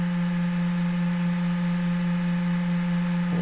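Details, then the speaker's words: Traxxas X-MAXX RC truck with Savox SW-2290SG-BE steering servo after endpoint reset: steering driven past its mechanical stop gives a steady strained low electric buzz; endpoints still need setting. "now I can steer that thing all the way past and you can actually hear the servo buzzing it's not exactly where we want to be"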